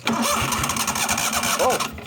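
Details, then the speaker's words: 1998 Yazoo YTKC22 three-wheel mower: the carb leaks fuel, there are electrical faults with the ignition, and spark is confirmed. The starter churns in quick uneven pulses and the engine catches for about a second, then dies: no-start, cause unconfirmed. "she tried running there for a second um yeah well we have spark on this side"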